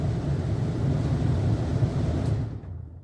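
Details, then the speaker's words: Newly installed replacement rooftop camper air conditioner with a black cover, first run after install: steady low even hum and smooth airflow rush with no knocks or rattles. It's blowing well; the installation was a success. "And here is the point of truth. I hear it. It's blowing. It's blowing good."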